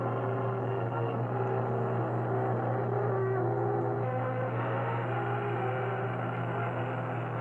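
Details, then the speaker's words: Webster-Chicago 81-1 wire recorder playing music recorded at max input volume: quiet, muffled music under a steady low hum, harsh and fuzzy as if played at max volume; input came in too hot, so playback is oversaturated and distorted. "It is oversaturated, but I don't know if that's the proper term, but it sounds like it's being played at max volume even though it's very quiet. And that's because of how hot the music was coming in."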